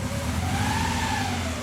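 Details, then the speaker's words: Toyota AE86 with rough idle and no fault codes; injectors and ignition coil test active and the fuel pump is good. A steady buzzy note with an uneven, choppy low pulse like a stumbling cylinder: rough running, source still unknown. "sounds a little bit like misfiring right yeah it just sounds like a motorcycle"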